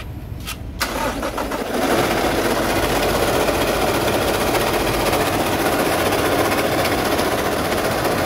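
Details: Toyota 1GD diesel engine started and idling: compares the noisy state, a rough gravelly whir from worn alternator bearings, with quiet running after the alternator bearing was replaced.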